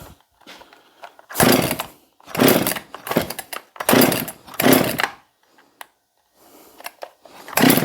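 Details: Husqvarna 262XP chainsaw after cleaning and pressure washing, choke on: about six rasping pulls on the cord, never catches; compression and spark present, water or flooding also suspected; cranking no-start.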